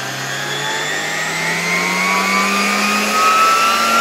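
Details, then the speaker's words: 1987 Zelmer 200.8 vacuum cleaner after swapping in a different type 300 motor, run at reduced voltage. Steady high whine climbing gently in pitch, smooth with no crackle; no visible sparking and seemingly lower speed than the original motor. Normal running. "No i teraz muszę powiedzieć że działa to dużo dużo lepiej kompletnie nie widać tutaj na tym silniku żadnego iskrzenia"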